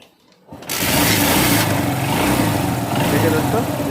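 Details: TVS Star Sport small single-cylinder bike after tensioner work on a reported engine noise problem: starts and settles into a steady, even beat with no tapping or rattle from the tensioner area; normal running.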